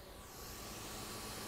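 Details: MacBook Air (about 2014–2015) running very slow with high kernel_task CPU usage: a steady, even rushing hiss with the fan pinned at full speed; software is deemed unlikely and a current-sensing hardware fault is suspected.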